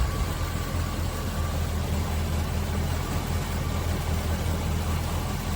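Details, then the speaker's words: Revived 1974 Chevy Nova with 350ci V8 and stock ignition, parked since 1996, idling warm with thermostat housing temperature about normal; deep even low rumble with no misses, ticks or knocks, surprisingly smooth; normal idle. "wow it's running Mar it's run see I see I hear that is so cool it's it's it's it's feeling smooth yeah I'm surprised to how smooth it is"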